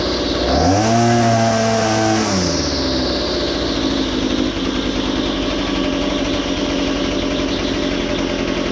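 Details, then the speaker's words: Well-used engine: revs climb sharply then drop away into a rough, uneven low run, going up and skipping down instead of holding under throttle; carburetor low and high mixture screws to be adjusted. "so you heard you heard how it kind of goes up and and skips down"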